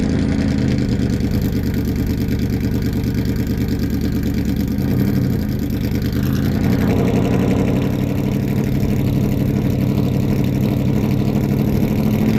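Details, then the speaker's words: 800hp 1931 Ford race truck driving, engine timing in doubt: deep lumpy engine falters and stumbles when much throttle is applied and needs far too much fuel to run; cause undetermined. "You can hear it as the car stumbles when very much throttle is applied, and we have to throw way too much fuel at the car for it to run the way that it is."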